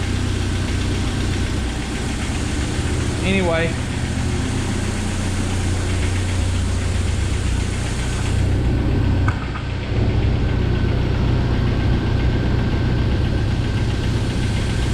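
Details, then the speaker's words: 1997 Jeep Wrangler TJ 2.5L at idle after timing chain and gear replacement: timing chain now quiet, but light fast ticking about four per second under the valve cover remains; owner believes lifter noise. "the timing chain is totally quiet but i still hear some lifter noise so it didn't get rid of all"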